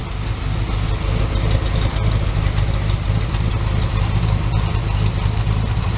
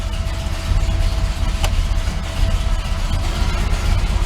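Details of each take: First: Chevy S10 V8 warming up, around 750 rpm idle with temperature rising: deep choppy lope about three surges a second from the aggressive cam, heard at the rear; normal. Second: Chevrolet S10 after rocker arm adjustment, 42-43 psi oil pressure at idle: deep, slow, loping idle with heavy low rumble at under 500 rpm; idle set too low, needs raising, though running better.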